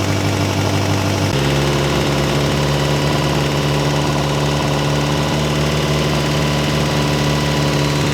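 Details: Ferrari 308 GTS fully rebuilt V8 after first start in about four years, warming the heads to heat the head gaskets: smooth even idle stepping up slightly then holding steady, no knocks or misses. Normal warm-up idle.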